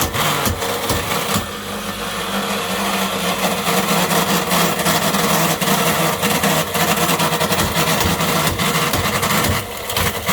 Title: sewing machine motor run on 400V but had a mechanical bearing failure